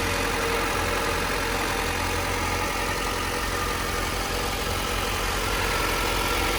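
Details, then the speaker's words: 1998 Honda Civic Type-R, factory engine, 133,000 km, timing belt change not documented, idling; steady, even idle with smooth exhaust note, no belt squeal, tapping, hunting or smoke; normal idle. "running engine sounds like a stock engine there's no weird belt sounds No idling issues"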